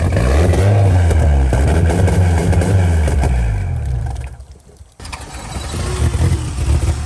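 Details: Jeep recovered after driving into deep water, with water cleaned from the distributor and a couple of sensors unplugged to trick the computer: the engine catches and runs loud and lumpy, sags almost to stalling, then recovers. Misfiring, still wet ignition.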